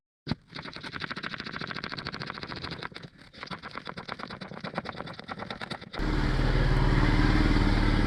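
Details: 105 Series Land Cruiser test drive after a DIY swivel hub rebuild and new passenger-side front wheel bearings (old ones worn out and apparently ungreased): steady engine note and even road noise with no grinding. Bearings sound normal.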